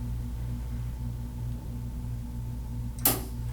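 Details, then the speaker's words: Statim 2000 cassette autoclave during maintenance, cassette inserted slowly: low machine hum then one sharp click as relays engage and micro switch detects the cassette; normal, all systems go. "hear the relays clicking in that lets you know that the mat the micro switch is engaging the cassette all systems are go"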